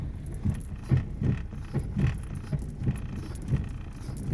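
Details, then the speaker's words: Car driving: dull, repeated clac-clac clunks about twice a second as it moves, the car shifting badly; lower control arm bushings found badly worn. "Se oye clac, clac, clac."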